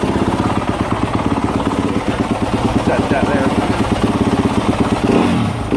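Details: 2018–2025 Yamaha YZ250F/YZ450F after replacing the throttle position sensor: an even single-cylinder thump with crisp throttle blips and no stumbling. Running normally; the new TPS fixed the issue.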